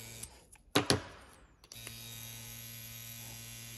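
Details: Tattoo pen on a Trillium battery set to 8 volts, same frequency: after some handling knocks, a steady, even low buzz settles in with no wavering; running normally.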